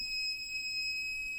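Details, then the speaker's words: 1500 W inverter powered by four Panasonic 36V ES200G scooter battery packs, with a hairdryer switched to high: a steady, piercing alarm tone that cuts off sharply. The inverter's low-voltage alarm trips under overload as pack voltage sags. "Now the high, as soon as I flip it up on high, it just won't take it. So this might be the end of our test based on this here, not based on anything else."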